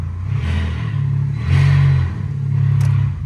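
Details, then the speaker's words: Salvage 2023 Fiat 500 with no exhaust fitted, first start after rebuild despite immobilizer worries. It turned straight over and fired; a loud, raw exhaust drone rises and falls smoothly with throttle blips, no misses or knocks; the engine runs sound. "can hear the wipers going yes yes turned straight over and fired straight"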